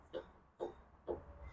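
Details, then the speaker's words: Toyota Sequoia/Tundra (2000-2007) driver-side lower ball joint: four dull clunks, about two a second, as a pry bar under the tire levers it up and down. Joint was replaced only about 40,000 miles ago and has failed; passenger side is tight. "so I'm switching over now to the driver's side I'm going to do the same thing to the driver's side and you'll see the issue here you can even hear it clunking while I'm doing"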